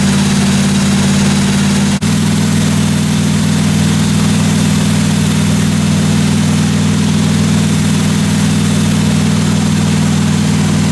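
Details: 1957 Chevy 210 at steady low idle during the roughly 20-minute cam break-in after first start: a smooth even drone with no ticking or knocking from the valve train; normal idle.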